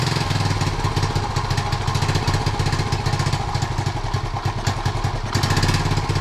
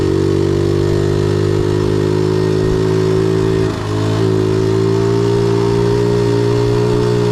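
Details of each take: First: 1976 Honda Z50J1 Monkey, new carb, long-running problems, ignition points and coil being worked on: small single lumps along unevenly at idle, stumbling, barely holding on; rough idle, owner suspects a blocked jet, cause not confirmed. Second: 1976 Honda Z50J1 Monkey, long troubled by poor running, now idles after work on ignition timing, points and coil. The small single holds an even, steady beat with a smooth tone and no stumbles: a normal, healthy idle.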